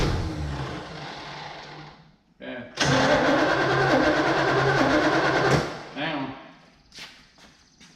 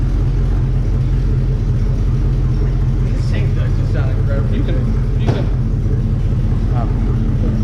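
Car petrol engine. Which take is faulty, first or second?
first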